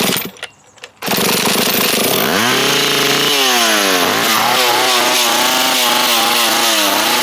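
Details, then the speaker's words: Stihl chainsaw, drill-started at half choke: it fires and screams, then revs sag and surge up and down and it smokes heavily and dies; owner suspects too little fuel in the tank. "Huh. I'm not sure why it's dying there. Maybe we don't have enough fuel in here. Otherwise, it's got some power."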